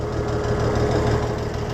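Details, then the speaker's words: Oliver 1650 tractor after a governor repair: a slightly uneven, lumpy low idle with some knocking character, running rough. Rusty spark plugs are suspected, and it needs a tune-up; this is unconfirmed. "look at how rusty those spark plugs are. That's probably part of its issue."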